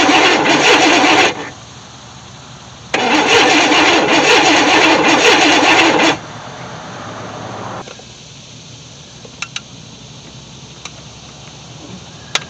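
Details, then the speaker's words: 1964 Chevy Impala SS convertible after 35 years in a shed, rotor and cap good and power present at the coil: two spells of steady cranking, about one and three seconds, that never fire. Crank no start with no spark from the coil; bad ground or coil suspected. "got no spark coming from our coil I know the coil or I know we got power"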